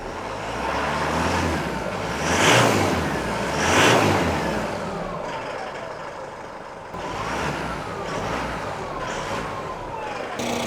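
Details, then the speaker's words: 2017 Isuzu D-Max 3.0 L diesel that ran very roughly, after injector coding, all four cylinders reading 100° afterwards: revs up cleanly twice and settles to an even idle without misses or stumbles; healthy after repair. "and just to prove that it's running evenly now 100° on the center block be 100° there which it is"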